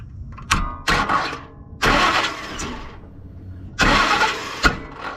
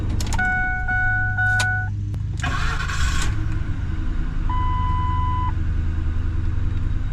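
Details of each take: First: 2004 Ford Expedition, 260,000 miles, would not start; battery shows 14.2 V. Cranked from under the truck with the starter solenoid bypassed: short, uneven bursts of cranking, then it turns over and catches. A starter problem is suspected. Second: 2004 Ford Expedition, 260,000 miles, after a replacement starter: door chimes, then a brief, clean crank that catches at once into a steady, even idle. The starter engages normally and the fault is fixed.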